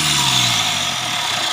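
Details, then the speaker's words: Mitsubishi Triton GLS 4D56 diesel after replacing the alternator with a solid-pulley unit: even run with only a faint high turbo hiss, the metallic bearing-like grinding from the faulty old alternator pulley gone; normal running. "Suara mendesis samar tadi berasal dari turbo, turbo. Nah, untuk suaranya......suara yang tadi, sudah hilang."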